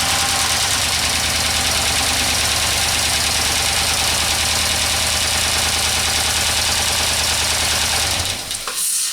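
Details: Chrysler 300 with P0300/P0302 misfire codes, started after delayed weak cranking, owner suspects cylinder wash-down; a loud, uneven, lumpy idle with an irregular beat for about eight seconds, then shutoff. Still misfiring, though better than before.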